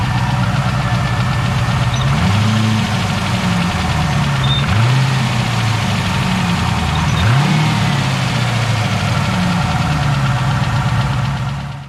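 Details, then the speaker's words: Turbo LS V8 replacement engine in a Trans Am idles with a light, quick tick about four a second over the low rumble; a lifter tick, also heard in the previous engine despite new lifters. "So as you can probably hear, still got a lifter tick."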